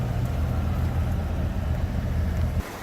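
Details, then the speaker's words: 1964 Chevrolet Corvette, 58,000 miles, long-sitting, jump-started on bad battery, cold with oil pressure 65-70 psi: steady even low idle rumble, no knocks or misses; engine sounds good, though it has a fuel leak. "oil pressures jumping up to 65 70 pounds cold to get that and focus for you tech ammeter is a operating engine sounds good"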